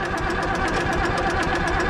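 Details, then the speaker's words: Old auction Ford engine, warm, cranked on the starter with the decompressor engaged: fast, even starter chatter with no compression load, spinning freely without firing. "Look at this cranker. It's been warm. Oh, decompressor works. Yeah. No compression. It's shooting."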